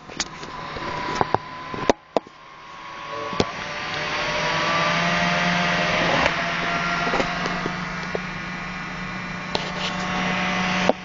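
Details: IBM ThinkPad T40-series laptop (T40/41/42/43) fan: a few clicks, then the fan spins up to a steady buzzy whir with a tone over it. Noisy cooling fan, cause unclear.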